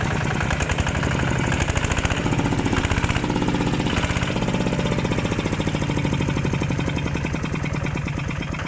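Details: New Kubota ZT155 Plus 15 hp single-cylinder diesel, freshly filled with engine oil and diesel; steady solid thumping at even idle, firm regular beats with no knocks or misses; normal idle.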